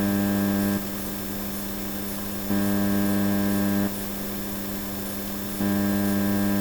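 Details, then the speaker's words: Onkyo TX-SR806 AV receiver: steady low electrical buzz from the speakers that drops and returns as inputs switch or are muted. Mains hum; this suggests the noise originates before the amplifier board, though unconfirmed. "So this once again is telling me maybe that the noise is coming from before the amplifier."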